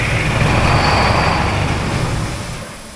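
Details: Oshkosh M1070 HET 8x8 diesel: heavy starter churning at roughly four turns a second, then dying away without firing, even with ether. Cranks but won't start.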